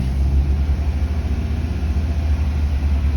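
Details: 2008 Opel Astra H GTC, Z16XER engine, manual gearbox, 223,000 km, after replacing the check valve behind the alternator, resealing the pump and changing gearbox oil, warming up with no errors: low, steady, even idle with no knocks or misses; normal idle.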